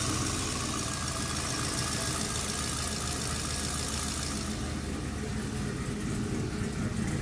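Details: Turbo 5.3L LS after Bosch 044 fuel pump install and fuel leak fixed: steady, even idle with a low regular beat, no stumbling; fuel delivery sounds good.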